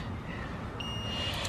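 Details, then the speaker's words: Nissan R34 cabin: a single steady high-pitched beep of about half a second, the annoying key-in-ignition, door-open warning chime, over quiet cabin noise; it is being disabled. "so we're doing now is this annoying beat when the doors open the keys in the car"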